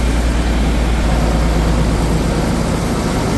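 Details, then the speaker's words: John Deere 4450 tractor, started after repairing a ruptured charge pump pressure line in the rear end that had killed hydraulics, steering and brakes: loud, steady diesel rumble with an even beat, no knocks or misses; steering and three-point hitch working again. "well time to start it up and see what we got here got it all back together oh he's steering yeah three-point came"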